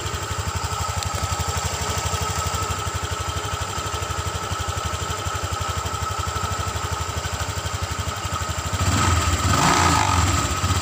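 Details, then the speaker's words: Honda Vario 150 eSP scooter: silent at low rpm, but at high rpm a brief buzzy plastic krotok-tok rattle from the rear area; holding a loose cover (possibly a panel cover) stops it, identifying the cover as the source. "Untuk suaranya perhatikan bro, ketika dalam RPM rendah suara tidak terdengar, tapi ketika RPM tinggi ada suara krotok-tok seperti itu. Oke bro, seperti itu suaranya."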